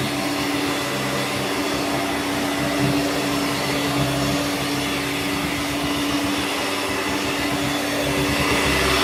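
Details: Hoover Turbomaster U5094 upright vacuum after refurbishment, brush roll off: steady, even motor hum with one clean tone, no rattle or grinding. Both motor bearings had been seized, fancase one spinning on the armature shaft; now smooth and healthy.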